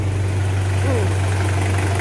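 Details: Toyota Surf with a 1KZ-TE diesel, just rebuilt after a piston knock, slightly warm and running in after assembly: steady, low, even idle with a smooth beat and no knocking or ticking. The engine sounds healthy.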